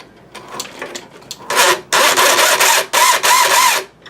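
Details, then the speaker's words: Incision gear set replacement on an SCX-10 RC scaler truck: harsh grinding bursts only under feathered throttle while the truck was bound up, owner suspecting the pinion; the transmission idler gear turned out stripped. "I was just kind of feathering the throttle a little bit to trying to torque my way out of the situation and it started making this sound"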